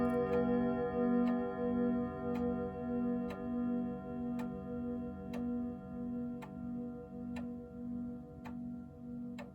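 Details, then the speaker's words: 1927 Junghans German grandfather clock, strike restored: clear chime tones ring out and fade slowly over an even tick about once a second; normal chime and tick. "You know what I think I like about it the most is that it makes all that noise, and they all do this, but it makes all that noise. And then behind it is the tick tock. And after all that noise is over, the tick tock just keeps on."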